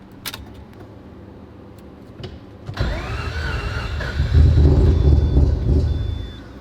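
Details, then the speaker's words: Rebuilt 20B three-rotor Mazda RX-7 engine struggling to idle, run without a fuel filter for months; fires after a pause, surges unevenly with lumpy low pulses then sags, running super lean: rough idle, fuel system being tested. "oops she's running like super lean some seven eight or you didn't wait higher"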